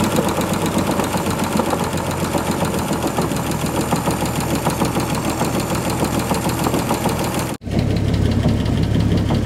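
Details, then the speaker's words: 1948 Chevy truck abandoned 58 years, first revival run, radiator warming: dull uneven thumping about three per second over rough idle, felt on oil pan and block; suspected rod knock, no oil reaching top end, leaking. "so all things considered I definitely think I hear a rod knocking when I put my hand on the oil pan or the block I can hear a thump or I can feel a Thump Thump Thump"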